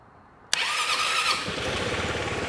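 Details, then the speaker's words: Piaggio BV400 scooter that would not crank, starter motor jumped directly: spark snap, then a steady high whirring crank settling into an even churn; starter is fine, the starter relay clicks but does not connect. "So, there you go. Nothing wrong with the starter motor. It's just the relay."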